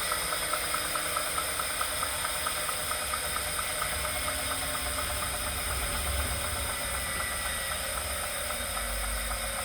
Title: Wahoo Kickr Core whining/knocking sound